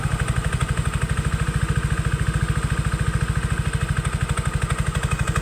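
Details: Yamaha Aerox 155 scooter after repair for a loud, noisy engine: steady, even low thump at idle with only a faint light clatter; the earlier engine noise is gone, a little noise remains.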